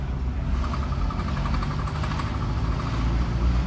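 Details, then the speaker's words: 2000 Fiat Panda Young 900ie (chassis 141) in third gear at about 20 km/h under load: rapid, regular metallic tapping over labouring engine drone; CV joints new, gearbox oil full, may burn some oil; cause unknown. "che cos'è questo cazzo di rumore me lo fa quando sono in terza a 20 all'ora quindi potrebbe anche essere normale perché è una cosa che non lo rifarei scalare la marcia però questo battere metallico vediamo adesso lo farà anche quadro rallentare"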